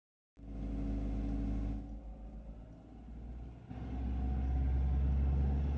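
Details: 1996 Mazda Miata NA: deep engine rumble dipping and rising with revs, with a faint rattle on top, owner suspects a heat shield; cause not confirmed.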